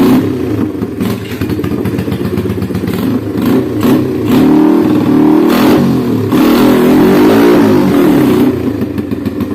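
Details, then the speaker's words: Honda Scoopy ESP scooter, after replacing a damaged CVT roller housing (boss) with a stuck spacer that caused rough CVT noise and weak acceleration: pulls smoothly, pitch climbs steadily under load, no slipping or judder; acceleration and top speed good. "This is a motorbike, OK, acceleration is good, top speed is also good, OK, friends, I hope this video is useful."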